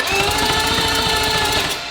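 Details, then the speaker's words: Billet four-rotor rotary engine, starter-only rotation test during oil priming before first start: fast, even cranking pulses, around a dozen a second, with a steady starter whine and no hesitation; turns over freely. "So this is just simply an engine rotation test. See what sort of RPM that starter creates."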